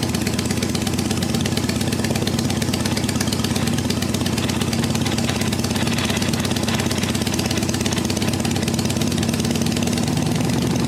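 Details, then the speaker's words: 1974 Harley XLH Ironhead Sportster V-twin, first start after sitting for years, ether used, about 90% choke, high idle: uneven, lumpy idle with a stumbling beat and hunting engine speed; rough running, owner suspects the Keihin butterfly carb needs a rebuild. "So, it runs. Doesn't run the best, but it does run. Probably needs a carb rebuild."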